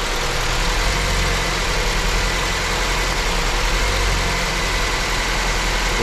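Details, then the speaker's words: Honda with cylinder 2 not firing, after the injectors were replaced: uneven, lumpy idle with a stumble. The injector was checked and is fine; the misfire comes from low compression. "No dobrze, uruchommy go i sprawdźmy, czy obroty biegu jałowego spadną do niższych. I niestety, sytuacja się powtarza."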